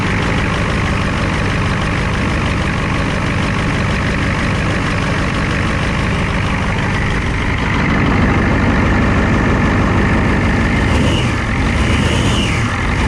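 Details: 1994 Ford F250 7.3 IDI turbo diesel, CAT injection pump, after glow-plug-free cold start at about 80°F humid; deep steady clatter about three beats a second, no misses or knocks; normal idle.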